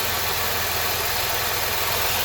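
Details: 2007 Dodge Nitro 3.7 V6 at 147k miles with the check engine light on: steady idle with a constant airy hiss from a vacuum/EVAP leak at a split purge hose.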